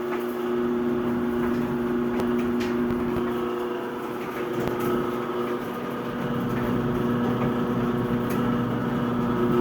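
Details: Whirlpool dryer gives a loud, steady mid-low electrical buzz once the on button is pressed; it still heats, and it sometimes starts on its own.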